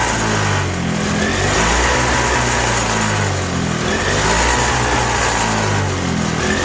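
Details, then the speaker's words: 1987 Toro CCR 2000 two-stroke snow blower with a newly fitted replacement carburettor: uneven, surging, hunting run that only keeps going on choke; running real lean, and turning the jet in or out changes nothing. "Yeah, running real lean. It only runs on choke. I'm turning the jet in and nothing."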